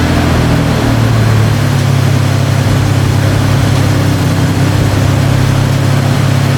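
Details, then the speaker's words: Toyota pickup with swapped 3.4L V6 after installing a new ECU in place of the automatic ECU: smooth even idle with steady low hum, no knocks or misses; healthy, started faster than before. "so far so good for some reason it started way way faster than the other ecu i don't know what that has to do with but it fired up a lot faster"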